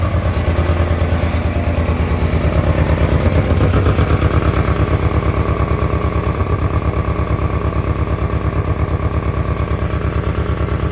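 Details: 1997 Ford Ranger four-cylinder, unused 2011–2025, new fuel pump and battery, old gasoline and spark plugs not yet replaced: lumpy, loping idle about three beats a second, misfiring or running poorly; cause unknown.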